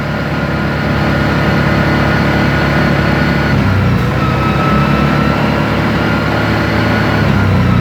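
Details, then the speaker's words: New Yamaha Wolverine RSpec 708cc UTV (about 30 miles, factory-lean, added fuel controller) on dyno at about 18 mph, 4,000 rpm: steady, even drone holding speed under load, no misfire, surging or popping; normal running. "Okay, that's holding where we want it."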